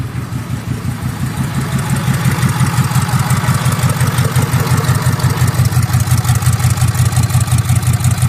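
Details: Ford 6.7 Powerstroke diesel just started after a return-side fuel test (pressure loss traced to the number three injector), being checked for leaks: firm, even pulses about three per second at a steady idle; normal.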